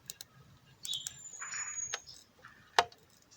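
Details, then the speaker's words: Wlisth 1853 automatic watch, crown being wound one way: sparse, light metallic clicks with no proper winding feel. Abnormal clicking from the winding clutch, which was slipping within a minute out of the package and is failing. "you can hear that clicking. That clicking is not supposed to be there."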